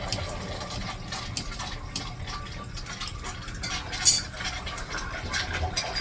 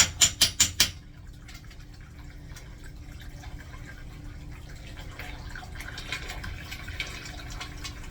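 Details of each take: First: Urinal flush valve after replacement, on city water pressure: steady gush with splashy surges that settles as flow shuts off; new flush valve operating normally. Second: Newly installed 1-gallon-per-flush urinal flushometer valve: a few sharp clacks, then a continuous hiss of water that never stops. The valve won't shut off; owner suspects a clogged diaphragm orifice and may need to clean the diaphragm.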